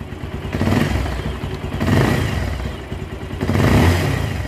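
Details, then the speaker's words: Bajaj Pulsar 220 motorcycle just restarted after full engine rebuild, under 2 minutes running: idles and is blipped three times, rising and falling cleanly with light valve clatter; tappet adjustment planned to smooth it further. "মাত্র start হলো, এখনও 2 মিনিটও হয় নাই। তো বাইকটা চললে আমরা ট্যাবেট অ্যাডজাস্ট করে দিব, সাউন্ড আরও স্মুথ হবে।"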